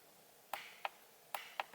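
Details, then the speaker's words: Stock steering wheel button triggers the trans brake solenoid via Holley Terminator X staging input on a twin-turbo 5.3 LS Ford Ranger: sharp crisp clicks in pairs about a second apart, normal solenoid operation; staging output light not working, possibly a V3 issue. "check this out stock steering wheel and you can hear the trans brake solenoid clicking"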